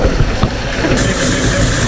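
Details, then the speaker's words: Mercury 50 two-stroke outboard (9M9XM00591C1) after a new fuel filter and airbox reseal fixed rough idling and stalling. It holds an even, steady low burble, longer than it has ever idled, with no stumbles or misses: normal idle. "Huge difference. And see how clean it looks? Look at that satisfaction. Dude, it's never idled that long."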